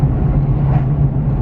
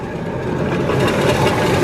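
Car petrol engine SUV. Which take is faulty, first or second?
second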